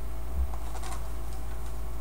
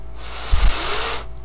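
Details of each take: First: Gateway M-2626u laptop switched on after fan cleaning: two short, high electronic beeps over a low hum, an error signal with no normal startup. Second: Gateway M-2626u laptop fan spun by hand after cleaning off gummed WD-40 and applying graphite oil: soft smooth airy whoosh, no scraping, now quiet.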